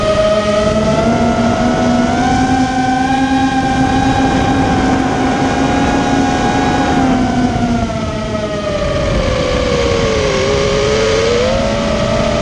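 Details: Immersion Vortex 250 Pro motor test run after trying to fix bad bearing sounds: a smooth, steady whine climbs and dips with throttle, with no grinding or rattle, so the bearings sound healthy. One motor is slightly warm and the rest feel good.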